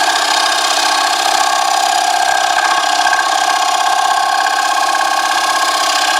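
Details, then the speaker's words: Wood lathe turning a box elder platter blank at about 361 rpm: harsh, buzzing scrape with a fluttering pulse and no low rumble as the cutting tool chatters against the spinning blank. Tool chatter while cutting. "all right everybody who's watched my videos or any video about woodturning ever tell me what i need to do how do i change that sound"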